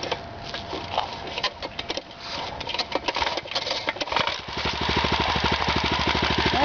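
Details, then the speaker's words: Rebuilt Honda 2.5 hp single-cylinder engine with custom muffler, just started on choke, cold: after rattling start-up noise it settles into a slow, even putter at low idle, smoking a little at first; normal idle. "idles pretty low. It does smoke a little when it first starts. I guess every engine almost does."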